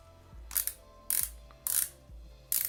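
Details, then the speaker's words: Abu Garcia Revo4 X-W-L baitcaster reel after installing a drag clicker, micro ceramic bearings and carbon handle: short bursts of sharp crisp ticking about every 0.6 seconds as the drag slips; normal drag clicker operation. "Do we still have the drag? Yeah, we have the sound. Can we adjust the drag though? Nice, the sound improved as well. It's quite nice actually, very nice. Very like clicky, awesome."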